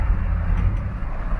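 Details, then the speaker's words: 2001 Chevrolet Suburban V8 before tune-up, driving while struggling: deep, lumpy exhaust rumble with uneven beat, missing on a cylinder; check engine light comes on; engine misfire, new plugs and wires planned. "see if we get that check engine light [Music] there it is that's all i wanted to show y'all misfire baby hopefully this [ __ ] gets fixed"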